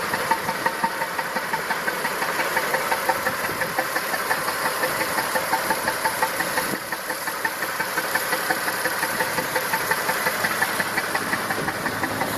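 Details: Massey Ferguson 2645 tractor, Perkins 6-cylinder diesel said rebuilt 100 hours ago, poor power and starting: idle about three beats a second, exhaust pulses unequal; suspected valve not closing, low compression on one or more cylinders, little blowby.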